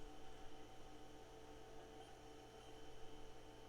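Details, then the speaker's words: IBM PS/2 Model 25 planar after replacing faulty BIOS EPROM, previously stuck at POST code 01; on power-up POST codes now advance, power supply fan hums steadily and hard drive spins up evenly, no grinding or clicking; normal power-on. "we can hear the hard drive spin up we know that things seem like they're operating i mean the the fan on the on the power supply up here is is operating"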